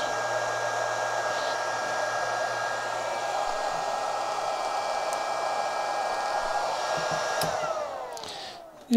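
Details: Chinese handheld arc (stick) welder on test into a short circuit, drawing about four amps from the mains: steady, even cooling-fan whir at constant tone, then winding down near the end; fan running normally under load.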